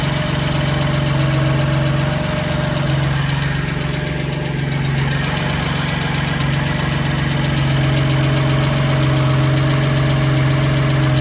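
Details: BMW M2 Competition S55 engine at cold startup: steady sharp tick about four per second over smooth idle hum; engine ticking, source not found.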